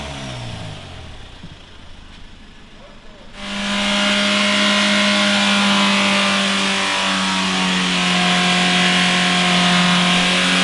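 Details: Mitsubishi Carisma diesel overfilled with several litres too much engine oil: quiet at first, then screams up to a steady high rev held with no throttle; diesel engine runaway.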